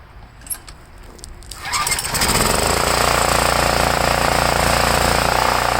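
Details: Homelite 5000-watt, 389cc, 13 hp generator (possibly Tecumseh) that had a leaking carburetor and was very hard to start. Started with choke: a couple of sputters, then a steady, even drone at constant pitch. Running normally, with no gas leak afterward.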